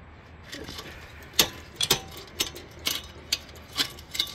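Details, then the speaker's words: Wheel Horse C141 engine with flywheel parts removed: uneven light clicks and scrapes about twice a second as the flywheel is rocked. Bearing shows movement, and the owner suspects a loose stator behind the flywheel. Not confirmed. "Something's loose in the backside of the flywheel. I can hear it grinding, so."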